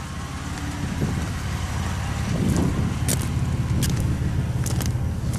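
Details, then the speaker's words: Ford Ranger pickup that had been misfiring, driving after parts were bought (spark plugs, wires, possibly lifters). The engine hums low and steady with no stumbling: it now drives well and runs normally, though noisy lifters are mentioned afterward. "but hey she's driving pretty good heard earlier that's for sure"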